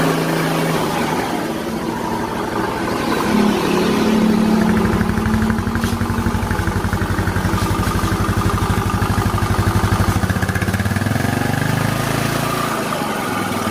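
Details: Yamaha Mio Soul scooter, previously very noisy rough engine, first start after engine reassembly (kick-started dry first to raise oil): catches and settles into even idle, about four pulses a second, no knocks or rattles; normal idle.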